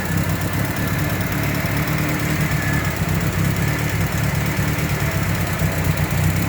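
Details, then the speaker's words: Engine after honing the loose camshaft bearing cap to fix rocker-arm noise: deep even idle rumble, steady beat, no ticking or knocking — knock gone, normal. "[Musika] Wala na yung maingay. Nabawasan ka na ' ba? Okay na yan. Normal na yan."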